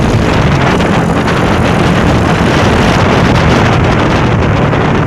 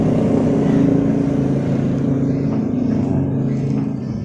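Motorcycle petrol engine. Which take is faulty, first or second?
second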